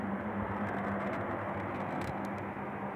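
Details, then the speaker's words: Argo Milo Plus heat pump heating at 7:15 am, 8°C outside, 18°C indoors, set to 22°C: even low hum with soft fan rush and faint steady tone, more noticeable in the quiet morning room; normal running. "si sente il rumore che fa la pompa di calore della mattina si sente un po di più perché l'ambiente molto più silenzioso"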